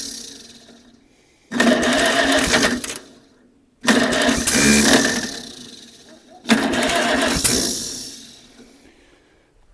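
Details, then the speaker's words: 1947 Farmall Cub, after valves were set to about 0.013 (one perhaps 0.015): three cranking bursts of about two seconds each, turning over evenly but never firing; sounds different than before, still no start. "Well, it just sounds [Music] different. Still no start though."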